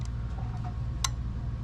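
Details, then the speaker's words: Simplex 900 button lock combination chamber held close to the mic: a few faint ticks, then one sharp click, then silence as it fails to reset. The return spring is broken and the chamber must be replaced. "you hear that collect noise click now it's stopped so that is the problem when that return spring is broken"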